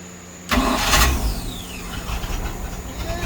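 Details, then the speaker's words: 1987 Stingray cuddy cabin MerCruiser with a replacement starter after Hurricane Ian: starter engages crisply and cranks evenly, about 200 compressions a minute, with no whine or grinding; doesn't sound like it needs shims. "try this starter one more time yeah see how she sounds doesn't sound like it needs any shims"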